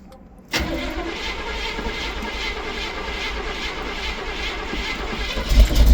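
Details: 1971 Chevy Cheyenne C10, snowy cold start: silence, then a loud, uneven cranking churn that keeps going and swells near the end as it struggles to catch, then runs. Hard starting when cold.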